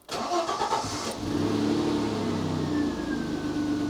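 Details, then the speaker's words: Citroen XM 3.0 24V V6 that was hard to start and ran uneven on fewer cylinders when hot: after the fix it runs on all six; on restart, brisk even cranking (previously slow every third or fourth time), then smooth idle. "And notice the cranking speed. And that was not the case before. It would be slow every 3rd or 4th time, I think."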